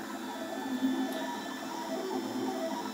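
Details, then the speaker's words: Makerbot Replicator with intermittent carriage fault, printing on unheated bed: buzzy, whiny stepper tones shifting pitch as carriage moves; coarse sound of steppers on old drivers without microstepping. "and this noise just drive my wife crazy well you guys are wondering where all the noise is from this is before we had microstatic so"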